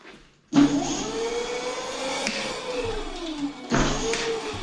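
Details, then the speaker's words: Electric scooter checked after a hard crash, about 70% charge, run in first to third gear: smooth steady hub motor whine rising and easing with no scraping; front wheel clean, rear rotor slightly bent, brakes fine. "okay so the rear brakes seem like they're fine so I think the scooter is just fine"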